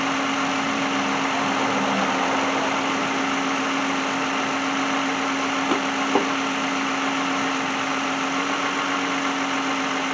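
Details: 2010 Lexus brought in for a no-start, with the customer asking for an alternator replacement. After restart it idles quietly and steadily with an even hum, no knock, misfire or hunting. Charging reads 13.9–13.8 V at the battery.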